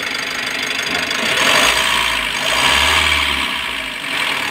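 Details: 2020 Mitsubishi L300 with 4N14 diesel, after engine overhaul for knocking (bearing): steady, quiet idle with even hiss and no knock; knocking gone, crankshaft sensor check-engine codes P0336/P0116 still returning.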